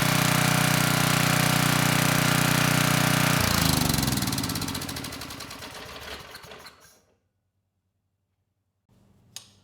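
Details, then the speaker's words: A 10hp Tecumseh HM100 engine on a Western Hemisphere generator, just fitted with a new Oregon carburetor and run before the airbox was refitted: it runs smooth and even with the choke off right away, then winds down cleanly. Healthy. "Well, that sounded a lot better. I was able to turn the choke off right away. Engine ran nice and smooth."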